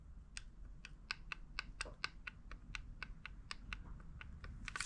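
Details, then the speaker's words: Quadrajet carburetor on the bench, base plate off: throttle shaft rocked by hand gives sharp dry clicks, about three to four a second, from play in the shaft; worn brass throttle shaft bushings in the base plate need drilling out and replacing. "So you might not be able to see it, but there's definitely play there. So that means I need to drill out the brass bushings in this base plate and just take a brass hammer and pop new ones in, which is fine, but it's going to kind of slow us down with rebuilding this specific carburetor."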